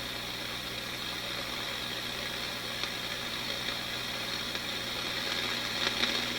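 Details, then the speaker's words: AF-610 Japanese AM/FM tube radio left on with FM problem: continuous hiss and static slowly swelling louder over several seconds with occasional crackles; owner suspects IF section, a bad 17EW8 front-end tube, tube element or leaking capacitor, unconfirmed. "This radio is getting louder and louder as I sit here."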